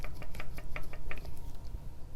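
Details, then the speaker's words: 2018 Wahoo Kickr trainer, noisy with metal shavings inside after an apparently botched keyway fix: quick light knocks, about five or six a second, over a low hum as the flywheel axle moves back and forth and up and down; flywheel axle play knock. "there's just a little bit of play I don't know if you can hear that where this the whole thing the flywheel axle moves back and forth a little bit inside of here"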